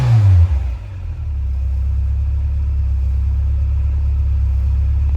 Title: Innocenti Mini Cooper 1300 with Vmaxscart Supercharger. Startup after rebuild